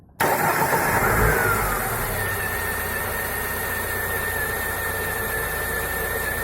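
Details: Lada Niva 4x4 fuel-injected engine after a full overhaul with a new oil pump and gears, idling with the belts removed so the alternator and water pump are ruled out. A steady high whine from the crankshaft end; the source is not found.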